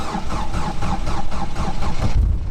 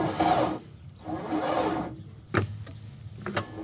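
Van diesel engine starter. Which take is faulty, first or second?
second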